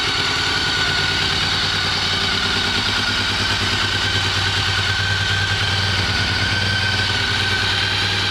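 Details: 2003 Honda RC51 motorcycle, previously would not start, now starting: even, steady idle with a crisp exhaust note and slight top-end clatter, no misses; engine running normally.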